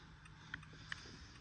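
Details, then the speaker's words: Nissan turn-signal flasher commanded on by a Launch X431 scan-tool active test, switched from right to left side: faint light relay ticks about every third of a second over a quiet hum, responding immediately; normal operation. "Switched immediately. This is really on point, and it's very responsive."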